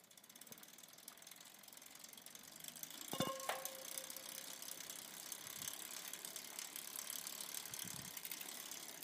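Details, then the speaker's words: Campagnolo 11-speed bicycle drivetrain, a little dirty, gives light, fast buzzing chatter with a clunk and metallic ring at the shift; vibration is felt through crank and pedal. "you can hear the buzzing okay I'm going to film the uh cassette and the chain uh from the back um in different gears"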